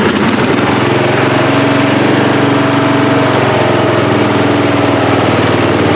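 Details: Free riding mower, engine test after gas tank was drained and fuel added; it was flooding and backfire was feared before starting. Steady, even single-cylinder beat holding one speed, no stumbles or surging: runs clean, normal running.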